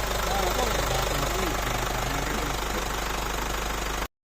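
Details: Mitsubishi 4M41 diesel in a Strada pickup that wouldn't start, after rebuilding the four injectors: even clatter at steady idle, about three and a half beats a second with no misses, running clean.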